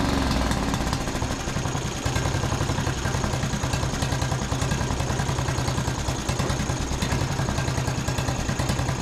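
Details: John Deere D110 riding mower single-cylinder engine after regapping the spark plug to 0.030 in, tightening it, and richening the cap-limited carburetor about a quarter turn: steady, even chug with no stumbles or misses, sounding much better than before.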